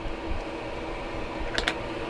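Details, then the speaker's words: Newly installed coolant heater in a Sprinter van, working after about half an hour of cycling: a steady whoosh of strong hot air with a faint even hum and no rattles, the heater fan running normally. "Yeah, this is blowing nice hot air. You can hear it too."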